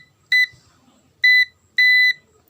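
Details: Digital multimeter on continuity buzzer mode after replacing its 1.5 V AA battery (before, the buzzer did not beep): three clean, short, steady high-pitched beeps. A normal, working continuity buzzer.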